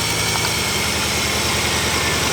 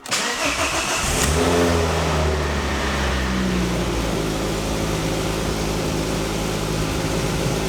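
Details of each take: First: Mk2 Ford Focus ST misfiring at idle, coil packs unplugged one at a time: idle turns lumpy and pulsing on cylinders one to four, cylinder five unchanged, pointing to that coil pack as the fault. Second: Mk2 Ford Focus ST petrol engine, stood for 18 months, first start after new coil pack, spark plugs and oil: cranks, catches with a quick rev flare, then settles into a smooth, steady idle, no longer misfiring.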